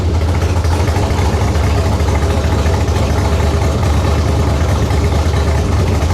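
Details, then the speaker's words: LS-swapped Chrysler Conquest at first startup, hot, with 60 psi oil pressure: a deep, lumpy idle with an uneven chop at low revs and no knock or tick, from performance ignition timing, not a fault. "But did you hear the chop difference at a low idle? Yeah, yeah. That's timing for That's a timing. performance vehicle, Yeah. not a truck."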